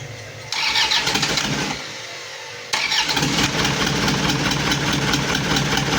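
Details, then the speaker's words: Isuzu Panther turbo diesel after an overheat that melted a piston and stuck an injector, first start after repair: it cranks and catches, then runs slightly lumpy with white smoke. The sound may be too smooth and the setting not quite right, and oil pressure is not yet up. "ada asap putih dan agak pincang. Ini bisa jadi dari suaranya terlalu halus dan juga settingannya kurang pas."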